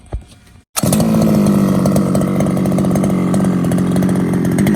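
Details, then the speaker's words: Losi 5ive-T 2.0 two-stroke, warmed up, with Mechanic Sauce: catches right away, crisp even buzz, steady pitch, no stumbling or misfire. "i got it in it's warmed up starts great so i can start showing you how the truck handles and how it sounds with the mechanic sauce"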